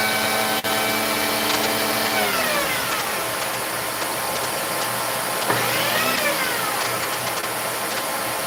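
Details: Vacuum tested for no-power complaint: motor whine sags in pitch, then climbs back a few seconds later; power dropping out somewhere in the circuit, cause suspected, not confirmed.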